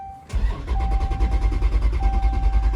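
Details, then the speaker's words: 5.7/6.4 Hemi after MMX fuel pump upgrade, PCM already tuned, testing with little gas in tank: fast, even cranking pulses four to five a second with faint pump whine, never fires; cranks without starting, owner suspects too little fuel. "Probably need to put a little more fuel in it. Yeah, let me put some more fuel in it."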